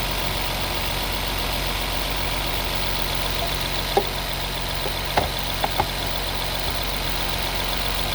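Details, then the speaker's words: 2016 Nissan Maxima with P0171/P0174 lean codes, idling: constant airy hiss over the engine note with light ticks; suspected vacuum leak at a collapsed PCV hose, not confirmed. "if i open it you can hear air settings so we don't need this air it's already closed because it's claps"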